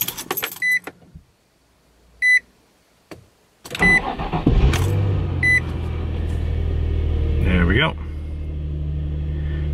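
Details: 2003 Infiniti G35 after replacing the failed passenger-side bank 1 camshaft position sensor: a few dash chimes, brief crank, catches at once and settles into a steady, even idle; service engine soon light still on.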